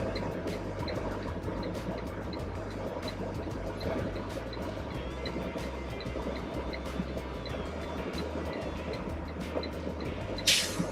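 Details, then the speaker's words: School bus air brake test, wheels chocked, engine idling: steady diesel idle with compressor chatter building pressure, then a short sharp whoosh of air as the governor cuts out at about 125 psi; normal. "And we will know when we're at cutout because we'll hear the sound. It will make a whoosh sound."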